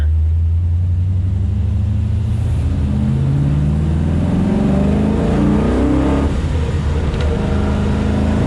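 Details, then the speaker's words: Chevy Nova after throttle fix, driving roll-on at full throttle: engine pulls cleanly up through the revs with a steady rising note, no stumble or cut-out, throttle whistles; normal full-throttle acceleration, throttle body still suspected of going bad. "No issue getting the speed. That's no issue."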